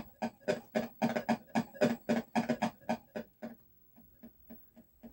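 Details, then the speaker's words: Atari Millipede arcade PCB in game mode with no POKEY errors in test, harsh buzzy distorted sound bursts about four a second; POKEY chip suspected bad or poorly seated, being swapped to check. "That sounds pretty terrible, doesn't it?"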